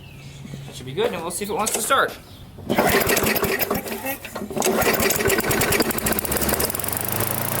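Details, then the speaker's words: Second curbside mid-2000s MTD push mower with air-vane governor, just primed after pull-start repair, catches after a couple of pulls and surges unevenly; fuel leaks at carburetor, owner assumes it loosened from the fuel tank. "so that leads me to assume that this carburetor has also loosened itself up and detached itself from the fuel tank"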